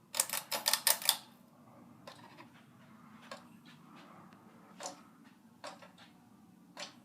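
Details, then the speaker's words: Monte Carlo 42–44 inch Designer Supreme II ceiling fan with incandescent lights, in a hotel room, on low speed: sharp, uneven ticks and clicks over a faint hum, very noisy, cause unclear. "yeah it is very noisy like it's got some issues I guess with I don't know what it is but does seem to have any issues but yeah well this is insanely noisy you can just hear it"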